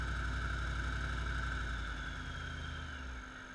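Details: 2008 Jeep SRT8 with Vortech supercharger in drive under load at about 1200–1800 rpm: deep rumble with a faint regular tick about four times a second, louder underneath, gone in park or neutral; cause unknown.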